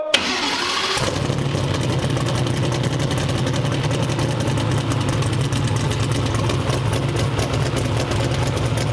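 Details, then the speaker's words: Twin-turbo 427 on the dyno: idle stumbles with uneven pops and dropouts, four bad coils suspected; rough running. "a little rpm is seven so that we have four bad coils"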